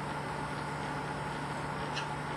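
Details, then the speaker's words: Pentair IntelliFlo VF pool pump after priming at 30 gallons per minute, slowing to 25 gallons per minute on feature one: quiet, steady low hum with faint even whine, no rattles or surging; normal running. "now reads that the pump is primed and now it's running it's running at 25 Gall per minute and you can hear the pump slowing down to make sure that it's at 25 Gall per"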